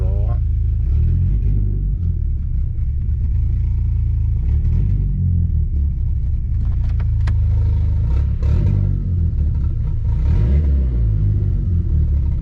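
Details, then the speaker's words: Car with 276 cam, warmed up, first run on a new MRP Performance 3-inch aluminum MAF housing: deep rumble hesitates and stumbles on throttle blip instead of revving cleanly; owner says the housing changes fueling a lot, car not happy. "straight up not happy so that actually does change a whole lot with the fueling"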